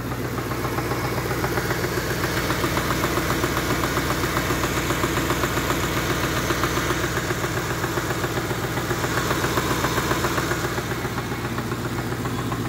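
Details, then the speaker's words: 11th-generation Ford F-150 5.4L Triton on 5W-30 synthetic, started cold overnight, 2 min 15 s in, no fan or shroud: steady idle with sharp, even knock getting worse as it warms; owner suspects rod knock or low oil pressure, unconfirmed. "you can hear the noise there didn't you yeah and the noise is getting worse we're uh 2 minutes 15 seconds into this"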